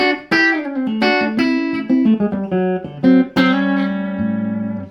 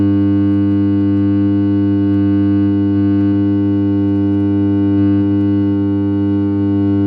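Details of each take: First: Fender Princeton Chorus 2x10 solid-state guitar amp after repair, with broken snap-in main caps replaced and dry joints resoldered, played with reverb: clean, clear notes with no hum, crackle or dropouts. Amplifier output is normal. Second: Fender Princeton Chorus 2x10 solid-state amp on a current limiter, broken snap-in tabs on the main filter caps: loud, steady mains hum with buzzy overtones that suddenly drops out, from dry-jointed filter capacitors.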